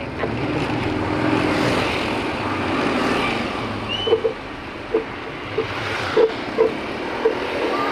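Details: Motorcycle while riding home from work: sharp "kik kik" squeaks every half second or so over wind noise; a workshop found the brake disc bolts not tight, so the disc rubbed; fixed.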